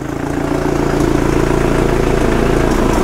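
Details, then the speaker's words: Vauxhall Zafira GSI Z20LET turbo petrol, first start after reground crankshaft fitted, bottom-end knock gone; idling with rapid chuffing tick about four a second from a big exhaust leak at the V-band joint, to be fixed once cooled. "i'll let it run on for a bit and then once it's cooled down i'll get this v-band sorted that's chopping away there"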